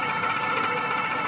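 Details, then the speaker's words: Euphree Stellar Falcon e-bike on throttle only at full speed, display climbing 17-24 toward 28 mph: steady high-pitched motor whine, loud but even with no grinding; the motor sounds louder than usual but is powerful; normal full-throttle whine. "Throttle only, 17 according to 20 according to the Euphree display. You can probably hear the motor as well, 24."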